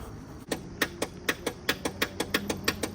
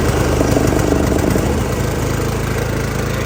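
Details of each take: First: John Deere LA130 riding mower with a broken positive battery cable connector: the engine never turns over, only a dry click about three times a second in near silence when cranking is tried; the fix is replacing the positive cable. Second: John Deere LA130 riding mower after fitting a new positive battery cable: the small engine catches and runs at a steady, even chug with no misses or dropouts, and it starts normally.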